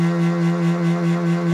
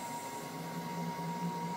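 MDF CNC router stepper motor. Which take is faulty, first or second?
first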